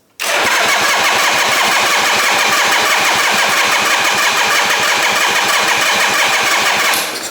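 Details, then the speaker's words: 1968 Harley-Davidson generator Shovelhead on electric start, fuel turned off, a bit of choke. Fast steady starter whir with regular compression pulses for about seven seconds, never firing: cranks, no start. Spark checked next; a dead coil was later diagnosed and replaced. "So this is where electric starts fucking mad. Alright, so when it's doing this, you want to check it's got spark."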